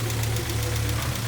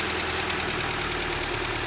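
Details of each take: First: Honda CR-V B20B warming up after a head gasket job: steady low hum with a faint, quick ticking over it as it revs. The owner suspects one valve is slightly out of adjustment and plans to adjust the valves again. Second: Honda CR-V B20B after a head gasket job and ignition timing set to 16° BTDC: even idle with a light, regular top-end tick, about three a second, and no stumble. The owner suspects a slight tick on one valve from his valve adjustment.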